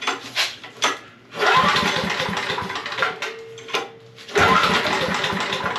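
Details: Generator after parts replacement, restarted with a vacuum cleaner plugged in as a load: a few pulls and sputters, then it catches and settles into an even, steady run; it runs smooth.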